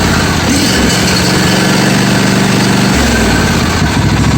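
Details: John Deere 155D lawn tractor with 22 hp 724 cc engine, intermittent crank-no-start complaint, started with choke and brake applied after wiring checked and connector secured: small engine catches and settles into a quick, steady putter with no stumbling; starts and idles normally.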